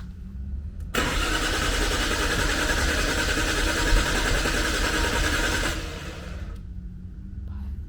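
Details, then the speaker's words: Nissan Skyline GTR R33 RB26 with a newly installed FuelTech ECU; starter cranks steadily about four turns a second for five seconds, never catches, RPM signal present but no fuel pump hum; no start, fuel pump not running. "Ó, tem sinal de RPM, né? Mas eu não escutei a bomba."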